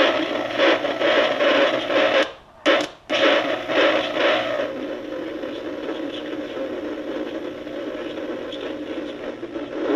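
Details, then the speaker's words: Emerson R167 tube radio, circa 1937–38, not recapped, traced at the type 41 tube plate: warbling whistles and hiss instead of clean audio, with a brief dropout. Serious birdies; the cause is not yet found. "videos got some serious birdies you can tail but okay guys sorry about that i know the audio is crazy louder it is in my ears anyway but i think it proves the point the radio got a lot of trouble"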